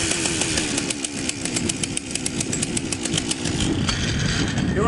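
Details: Partner P352 chainsaw after ignition module replacement for a no-spark no-start, gap set: rapid, even two-stroke popping at a steady idle with no misses; starts and runs cleanly.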